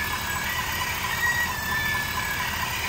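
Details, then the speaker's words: 2022 Ford F-350, noise when engaging 4x4, traced with a stethoscope and not the U-joint: a thin, high chirping squeal comes and goes over a low rumble from the front axle shaft seal; a vacuum leak is also suspected. "okay definitely not the U-joint it's coming from right here right here it's really loud right here"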